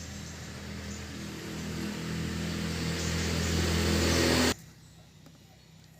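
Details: Yamaha New Jupiter Z after repair for a very rough, noisy engine, blamed on a worn piston, with the loose cam chain also replaced; it now idles smoothly with a steady low hum and no ticking or rattle.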